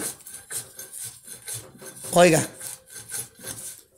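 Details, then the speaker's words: Wheel bearing turned by hand gives a dry, gritty rasping scrape about twice a second; the bearing is worn and needs replacing. "Eso se oye como como si raspara Ok oiga Eso quiere decir que El balero ya está descompuesto y hay que reemplazarlo"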